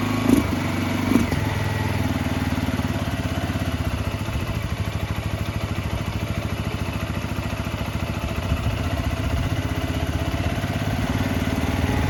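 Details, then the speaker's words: 2005 Suzuki GZ250 single, 950 miles, barn find on its first start with starting fluid, cold, needing more choke: uneven, lumpy idle with irregular firing and popping on throttle; carburetor trouble suspected. "I think we got some carburetor troubles. That's alright. We heard it run. Need a little bit more choke."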